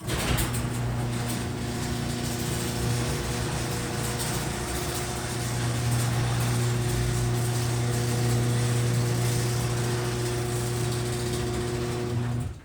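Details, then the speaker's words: Loud steady motor drone with constant chain clatter through the whole cycle from an AC-powered chain-drive garage door opener installed in 2005, still working but noisy, before replacement with a DC belt-drive opener and nylon rollers. "I've had these garage door openers since the house was built in 2005 and there's nothing wrong with them in fact they still work they're just loud"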